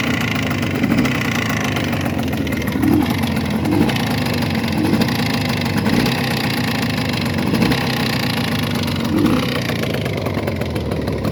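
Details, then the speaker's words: Jawa 638 12-volt two-stroke idling unevenly with a dull knock about once a second, even after new pistons and cylinders bored to the 4th oversize; owner suspects the central main bearing. "поменял поршня расточил цилиндры по 4 монд но все равно что-то стучит думаю что это центральная опора скажите кто чем может"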